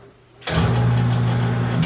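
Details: Katool KT-T800 tire changer turntable, electric motor switched on via foot lever after final garage installation: motor clicks on and settles into a steady low hum, no knocks or grinding; normal turntable motor running.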